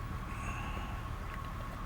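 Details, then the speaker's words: 1999 Honda Odyssey, almost 250,000 miles, after new coil-over-plugs and recent spark plugs: idle wavers slightly, tachometer bouncing, as the ECU relearns idle before smoothing out. "you can hear that it's and see from the tachometer it's bouncing up and down a little bit starting to idle out"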